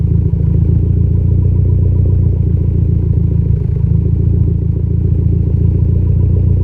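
Deep idle rumble with an occasional uneven beat and a slight stumble, but less pronounced than a bad miss; a mild idle misfire.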